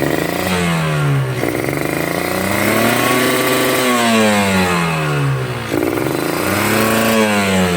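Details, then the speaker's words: Two-stroke motorcycle with the carb set wet (rich): revs rise and fall heavily with a sputtering, burbling note that won't clean up; rich mixture, wasteful of fuel. "Nah, itu basah ya. Bisa teman-teman dengar. Nih, berat."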